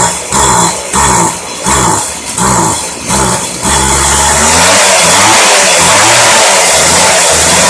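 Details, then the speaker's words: Craftsman Bushwacker 25cc hedge trimmer (model 358.795792) on 40:1 fuel, after a new fuel line but before carburetor adjustment. It revs in short uneven bursts, bogging between blips before settling; it hesitates on throttle. "now that we got our air filter installed we can adjust our carburetor and see if we can get that lag out of it"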